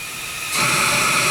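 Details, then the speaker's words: Bates Corliss steam engine with compressed air fed into a port: a sharp steady hiss bursts on and holds as air escapes; leak at a pipe, suspected broken or lifted out. "so now we've got it hooked up to one of these ports and as you can see that is our Lake"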